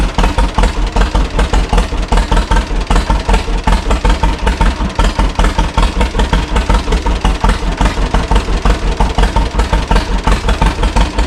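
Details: 1936 John Deere Model A two-cylinder, first start after 3 years, with new plugs, cap and sanded points but an unrebuilt carburetor with a possibly sticking float, choke on: slow, slightly uneven popping at about 160 beats a minute; carburetor needs adjusting.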